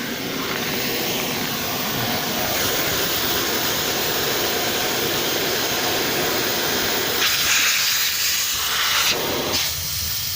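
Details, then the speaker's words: KAMAZ truck air brake system losing air (pressure builds only with parking brake on): loud, steady hiss of compressed air escaping from a burst hose, found to be the leak. "всего-то ребята [ __ ] шлангу пришёл"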